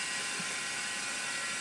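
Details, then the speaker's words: Compaq DLT tape drive in an old HP/Compaq server reporting a tape error, running a 2004 cleaning tape. Continuous harsh, high, rhythmless scraping hiss while the tape runs; alignment reported fine. Tape drive scraping. "it's not out of alignment it's everything's cool it just sounds like crap is scraping"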